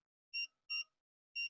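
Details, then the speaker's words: Greddy vacuum gauge fitted on an old Honda CB150R motorcycle: three short high electronic beeps, the adjustable warning tone for a low battery. Low battery warning beep. "ini bunyi settingan bunyi ini ketika misalkan aki sudah lowbat dan juga bisa obat cash"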